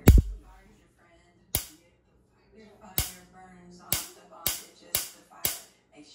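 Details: Liba device plugged in: sharp isolated pops at irregular intervals over near silence with a burning smell, then it won't turn on; likely electrical fault, second unit failing after a couple of months.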